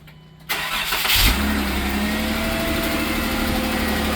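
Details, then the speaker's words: Jeep 3.6 V6: engine catches and settles into idle with fast, light ticking from the top end; failed roller rocker arms, roller loose and riding the cam; fixed by replacing rockers on the driver-side head. "Does your Jeep 3.6 sound like there's little angry men inside that won't out? Well, if it does, and if it sounds like this, we'll show you how to get it fixed."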